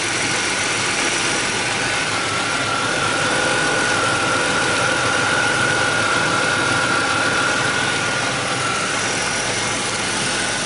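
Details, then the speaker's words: Ford Taurus after replacing the lower intake manifold, timing cover and oil pan gaskets plus plugs and wires, following oil leaking into the coolant; the engine is being flushed with water after a vinegar clean and idles smoothly with a faint whistle. "As you can hear, it's running nice and smooth."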